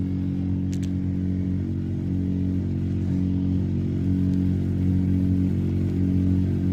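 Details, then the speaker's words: Ford F-150 HVAC: steady low droning hum with buzzing vibration that stops when the blower is turned down, first blamed on the blower motor; a broken blend door piece was found and removing it fixed the noise: blower vibration noise. "Mira, eso, evidentemente es el blower motor. Miren, le bajamos aquí y ya no se escucha. Ahí se escucha toda la vibración."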